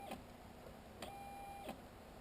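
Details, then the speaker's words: Home-built Printrbot original 3D printer stepper on Arduino Mega/RAMPS, 250 W supply, commanded a move of around 50: sharp clicks about every 0.6 s with thin steady high squeal, motor jerks instead of turning; owner suspects firmware, power or wiring, unconfirmed. "and then if I put around 50 it just squeals"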